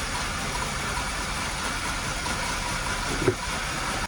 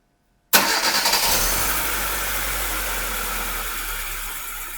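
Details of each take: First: 2002 Hyundai Accent 1.5 L petrol at idle with P0300, P0444, P0135, P0130 codes: uneven lumpy beat like an old diesel tractor, misfiring across cylinders. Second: Normal idle on a 2002 Hyundai Accent 1.5 L after misfire diagnosis and repair (earlier P0300, P0444, P0135, P0130 faults, rough idle): starts on first crank, then settles to a smooth, even idle around 800 rpm with oxygen sensors working.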